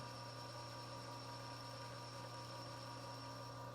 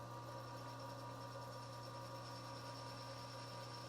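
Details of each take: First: Lathe under auto power feed facing a pivot bushing for folding knives: steady even hum with no wobble or chatter once the uneven top surface is trued. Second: Lathe facing a pivot bushing under auto power feed: steady hum with faint rhythmic wah-wah as the tool takes an interrupted cut on the uneven top surface, stopping once the face is evened up.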